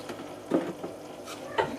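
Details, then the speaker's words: Keurig brewer after the quick fix for a display reading PRIME, reservoir reseated and machine turned back on: pump running and sucking water, with soft gurgles and light spitting in uneven bursts; brewer now brewing normally. "now there you hear the pump running it's sucking the"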